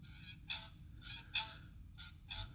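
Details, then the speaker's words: Toyota RAV4 2GR-FE V6, 2010 (also called 2012), 93,000 miles, cold engine, heard by stethoscope on the belt tensioner: sharp high chirps and scraping about every half second, traced to the tensioner center, a worn tensioner assembly. "Aha and this is where it's coming from I can clearly hear right here in that Center I hear that scraping"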